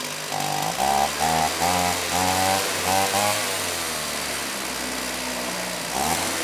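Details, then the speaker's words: Stihl 028 AV Super chainsaw, rebuilt with non-OEM parts after being run on straight gas: revs hunt and surge unevenly because it was running lean, and it sounds better after the low-speed jet was opened. "okay well doesn't sound terrible well it definitely sounds better than I thought it would now it was for sure running lean so I did open up the low speed jet a bit"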